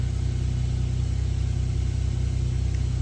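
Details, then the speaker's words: 1996 Suzuki Jimny K6A turbo, JA22W, cold start: steady, even idle held slightly high, smooth firing with no misses. Normal cold start idle. "idle's really good from cold start. This is obviously a older than 25-year-old vehicle, so."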